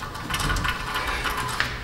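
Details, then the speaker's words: 2014 Toyota Prius, rear brake inspection for grinding noise and ABS/Trac light: driver-side rear hub spun by hand gives a gritty, uneven scrape with scattered clicks, a rough, rust-worn wheel bearing; heavy rust, caliper piston pushed in fine. "so same story on the driver side just rust lots of rust piston pushed in fine extra noisy bearing over here"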